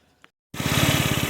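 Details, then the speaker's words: 2007 150cc GY6 scooter after repairs and throttle stop adjustment to lower the idle: catches cleanly and settles into a steady, even putter without stumbles; smooth, healthy idle. "nice just butter smooth"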